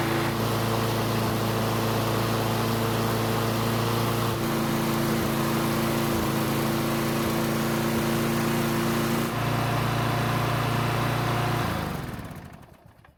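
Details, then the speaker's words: Snapper mower, unserviced for four years, cold start test run on old gasoline left in the fuel system, dirty air filter: steady single-cylinder drone with slight speed wobble before shutdown; runs, but stale fuel leaves it less than smooth. "Now before I go on, I'm going to start the engine and see how it runs on the gasoline that's still left in the fuel system."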